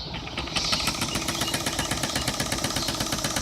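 Even, rapid mechanical clatter at a steady pace with the motor spinning freely; this old sewing machine is running smoothly.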